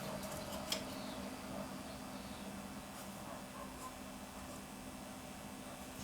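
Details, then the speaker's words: Sony TC-850 reel-to-reel deck, capacitors already replaced, in for calibration and a recording problem: steady low whirring drone with faint hum under the transport, reel bearings noticeably loud. "well the first thing you notice on this thing is that the bearings are actually quite loud"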